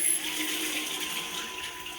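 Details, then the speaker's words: Xiaomi Youpin (version 2) inline shower thermometer with timer: steady loud hiss of water through the unit with faint whistle; excessive water flow noise, unit also restricts flow and reduces shower pressure. "I don't know if you hear it correctly but um it does actually make a lot of sound"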